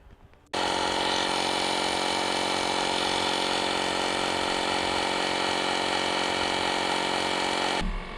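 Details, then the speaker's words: VW Jetta 2.0 that stalled while driving and sat two months: the starter spins the engine fast and very evenly with no compression pulses and no firing. The timing belt was found broken and the motor is ruined. "I think the timing belt is broken. Missed that. And that'll do it. That motor's ruined."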